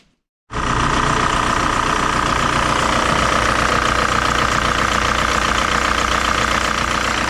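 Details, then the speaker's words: 2003 VW Jetta TDI 1.9 ALH diesel, manual, original 10mm Bosch VE injection pump, nearly warm (fuel temp 101 of 110), before the pump swap: steady, even diesel clatter with no misses or knocks; running great, normal idle. "all right before we take this apart make sure it's running perfectly and it is it's running great with the old 10 millimeter pump"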